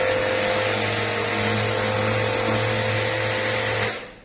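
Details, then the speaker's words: Pressure washer after repair, gun released: steady even motor hum that cuts off cleanly in under a second, no pulsing; previously cycled, now shuts off properly. "นี่ไปปืนเสร็จปุ๊บแต่ก่อนมันจะกระตุกตึกนะครับที่นี่มันก็เงียบเลยครับ"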